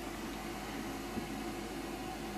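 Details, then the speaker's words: Hand-wired transistor audio amplifier with its 50k volume control turned up to maximum: only a steady, even hiss with no hum underneath, normal low-level noise from the two BC547 input transistors. "you can hear the noise and that's normal no h absolutely no h that's the most important thing the noise that we hear now is out of the two bc547 transistors and the noise level at its pure maximum is in fact not very high"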